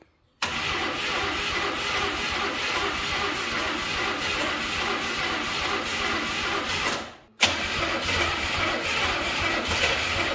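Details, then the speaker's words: Burnt Chevy Nova abandoned about 30 years, start attempts: long, even starter cranking with pauses, engine turns over but won't fire; suspected plugs fouled by trans fluid left in cylinders, being cleared with wide-open throttle. "You know what? I bet our uh our plugs are probably fouled. We probably didn't get nearly enough trans fluid out of those cylinders."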